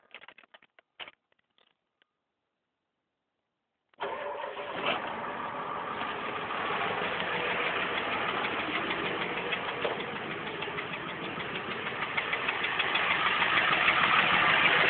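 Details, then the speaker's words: 1992 Ford F350 7.3 IDI non-turbo diesel at idle: a steady clattering knock about three beats a second. Earlier it came for a few seconds and stopped when revved; now it won't stop. Owner suspects injection pump, injector, lifter or valve; cause unconfirmed. "all right well trucks just started making this weird noise I don't know if it's a lifter injector or what it could be"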